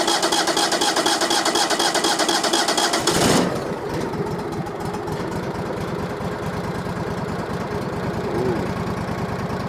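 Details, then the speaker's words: Brand-new engine on new sawmill, first start after opening fuel tank valve: cranks, fires and drops straight into steady, even idle with no misses or knocks; normal idle. "Sounds good. Because this is a brand new engine, I'm going to let this thing sit and idle for a second."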